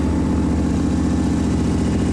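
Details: Sandrail engine after engine swap, untuned, not yet hot, idling while water circulates in the radiator; steady, low, even idle with deep thrumming beat, no knocks or squeals.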